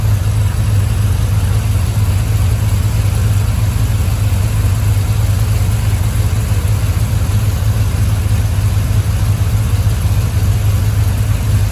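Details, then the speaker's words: 1951 Buick turbo LS V8 at idle with PCM-controlled Ford electric cooling fan on (30 A breaker, 80 A relay): smooth rumble with constant rush of fan air; fan drops temperature 5 degrees quickly, working normally. "I'll let it turn on one more time. You see how fast it drops that 5 degrees. These Ford fans really do move air."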